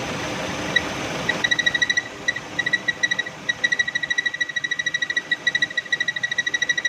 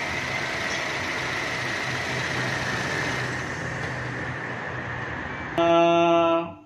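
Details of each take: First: 2016 Chevrolet Cruze petrol engine at idle: steady high-pitched whistle near 2 kHz over a quiet idle, from a failing PCV valve. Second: 2016 Chevrolet Cruze at idle: steady hiss with no obvious whistle, ending in a brief horn-like tone; normal idle in the context of fixing a whistling noise.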